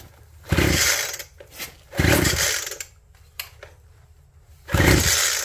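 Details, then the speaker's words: Abandoned hedge trimmer with crusty fuel lines, ether sprayed into the plug hole before pull-starting: three short snarling bursts with quiet gaps, catching on starting fluid but not running on its own fuel; fuel line replacement still needed. "We'll put a little gas in the plug hole instead of ether. No, we'll do some ether. Should be enough."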